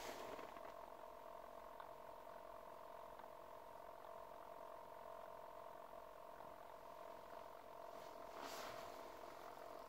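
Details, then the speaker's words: Mercedes W211: steady mid-pitched electrical hum from the interior rear-view mirror when the key is turned to the first position; stops when switched off, then resumes; cause unknown. "вот вопрос я когда поворачиваю ключ и такое положение первое начинает зеркало так гудеть"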